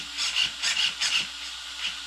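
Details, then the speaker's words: T2M Black Pirate MT RC truck, steering dual rate raised to full: raspy buzzing bursts at full lock as the servo arm hits the caster on one side, while the other side still has 5–6 mm clearance. Travel should be reduced slightly. "celui-là regarde bien qui tape dans la chasse alors que de l'autre côté on est encore à 5 6 mm FACÉ"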